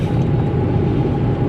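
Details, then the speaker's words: Toyota Etios after wheel bearing replacement, driving at speed on a level road: steady low road rumble with light tyre noise from worn tread and no bearing hum; the earlier humming, loudest at the front right, is gone. "അപ്പോൾ എന്തായാലും നമ്മൾ wheel bearing മാറിയിട്ട് ഇപ്പോൾ സൗണ്ടൊക്കെ clear ആയിട്ടുണ്ട് കേട്ടോ."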